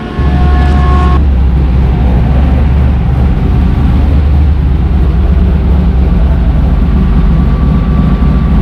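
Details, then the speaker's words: 1977 Pontiac Trans Am V8 idling with max AC on, compressor loaded, after fitting a custom idle stop solenoid (to stop AC-on stalling) and a 12-inch condenser fan; deep steady rumble, no dip, fan running, idle holding; idle stop may need slight adjustment. "Yep, fans going good. And idle stop is working. Yeah. Probably take a little adjustment, but it's working."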